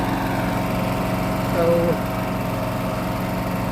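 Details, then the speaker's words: Briggs and Stratton 7.25 gas engine on a self-propelled walk-behind mower. It previously would not start and backfired; fuel replaced with fresh gas. After repair it holds a steady, even single-cylinder drone with no misses or surging; normal running. "but okay we did what we're supposed to we got it running"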